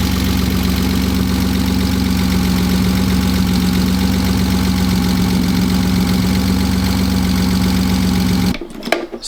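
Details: BMW M52 inline-six, freshly wired and started with no front end or cooling fitted: smooth, even idle holding steady with no hiss, miss or hunting. It is idling nicely with no vacuum leaks.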